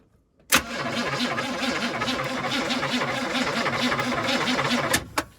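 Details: 1976 Chevrolet K5 Blazer V8 sitting since 1997, cranked from engine bay with jumper, spark confirmed: about four seconds of steady even starter cranking, turning over freely but never firing; cranks but does not start.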